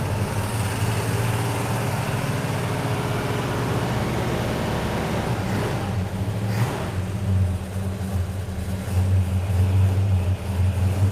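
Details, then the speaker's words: 426 Hemi V8 in a pistol-grip 4-speed car with air grabber open: deep, even rumble, sharp rev rising and settling to steady lope; owner drives it very hard; normal healthy idle and revving. "When he takes this car out, you think I rev it high. You have to see how he drives it. Hard, very hard, let me tell you."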